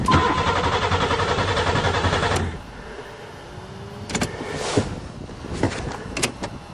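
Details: Buick Regal started in spring after sitting over winter, fuses good, fuel pump now running: starter cranks steadily for a couple of seconds and stops without catching; crank, no start, owner suspects no spark.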